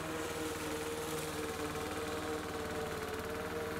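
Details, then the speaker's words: Lawn mower engine drones then bogs down, pitch sagging, when pushed too quickly through grass that is too long. "There you can hear the motor bogging down. It just, the speed at which you move through the grass is really important."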